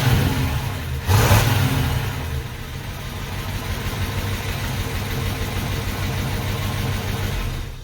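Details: 1968 Pontiac Ventura on its original factory exhaust, which is barely hanging on and lets exhaust into the cab, before replacement: deep, loud rumble with a rev blip, then a raspy, uneven drone. Worn, leaking, noisy exhaust.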